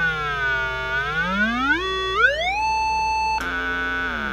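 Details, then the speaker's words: Zenith 4-B-231 radio speaker (49-191AB), field coil energized by a 9-volt battery, about 400 Hz audio generator signal on the just-repaired output transformer primary (was open): clean, pure, undistorted tone sweeping smoothly in pitch; normal speaker output. "all right let me flip on the audio generator again you may be able to hear that very faintly we're generating a signal about 400 Hertz and again you can see I'm hooked up to the primary side of the transformer that just repaired"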